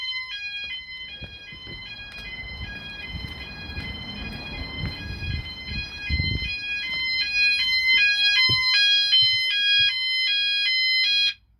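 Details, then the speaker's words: E.M.S. FirePoint System 5004 fire alarm installed in a house: piercing electronic sounder stepping between high tones about three times a second, steady and loud; system in full alarm. "as you can see that it's on it'll go off and then come back on again to Signal it's gone into alarm but if that fails you can always bang on a coil point which again triggers the same effect"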